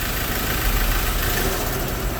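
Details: Ford Ranger after engine installation, cut off and restarted: quick clean start settling into steady even idle with smooth low rumble, no knocks or misses; no check lights, runs healthy.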